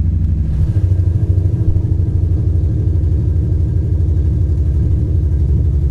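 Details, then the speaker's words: Infiniti G35 idling with check engine light and random multiple misfire code: loud lumpy low idle with uneven stumbling beat about three a second; misfire traced to two bad ignition coils, replaced with spares. "it sounds like [ __ ] right now"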